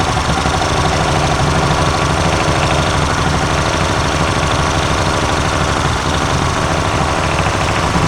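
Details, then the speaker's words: Yamaha 90 outboard two-stroke during service, decarbonizing: loud, busy run with loose uneven rattle and smoke as sprayed-in cleaner and carbon burn off the rings. "Well, now we cleaned it. Now we cleaned its ring piece out. Yep. Yeah, that's awesome. So all that smoke was just burning the crap off"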